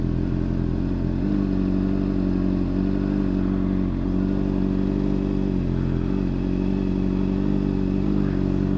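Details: New 600cc motorcycle in first gear, clutch slowly let out while stationary: steady low idle thrum dips slightly as the friction point bites then recovers, rpm barely changing; normal clutch engagement.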